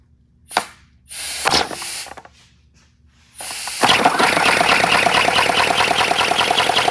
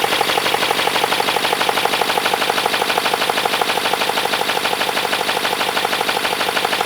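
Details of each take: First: 3D-printed 412cc air-driven V8 model engine on its second run, high friction: after a few puffs of air it runs fast with a rough, clattering chatter and dry rasp; builder suspects it needs lubrication, then pours 5W-30 into the intake. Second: >> Okay, it sounds good. But one thing that I don't want to happen is something overheating and welding itself on like the plastics.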